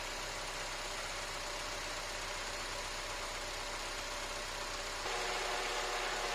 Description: Here my video regarding what main cause my car rattling in neutral and noise during drive (paddle gas being press)